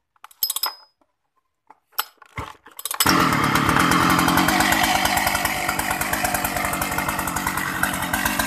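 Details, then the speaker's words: Shindaiwa 757 chainsaw with a 60 bar: a few cord pulls, then it fires at once and holds a steady, even, high-pitched buzz. Starts easily and runs smoothly. "Rất là êm. Giật lại cho mọi người nghe, nghe tiếng máy lại nhé. Rất là nhạy nổ luôn."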